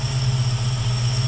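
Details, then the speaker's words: 1966 Mustang on FiTech EFI; deep idle rumble rising and sagging in steady lope, dead cylinder in back corner getting little or no fuel due to intake design, to be fixed by swapping to Aces EFI. "so that cylinder is not getting enough fuel if any and all which is why it's dead"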